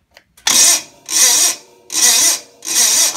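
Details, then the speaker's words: Gravely 450 Onan CCKA engine, roughly 45-year-old original starter, fuel poured in carb: four short high whirring bursts with gaps, engine never catches; starter dead and too weak to turn it over, replaced with a new-style starter. "yeah things dead I need a new started that's simple"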